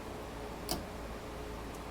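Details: Porsche 911 under restoration, electrical system check with ignition on and turn-signal switch operated: crisp, single relay clicks about once a second over a quiet background. Flasher cycling normally.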